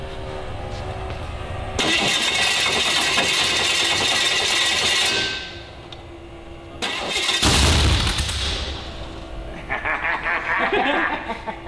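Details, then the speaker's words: Legendary Digger street-legal dragster, first fire-up on spray: catches with a loud blast and flares to high revs, about 2,500 rpm, dropping and returning; 70 psi oil pressure is good but revs too high. "70 psi of the oil pressure. Okay, so oil pressure's good. We're pushing too many RPMs."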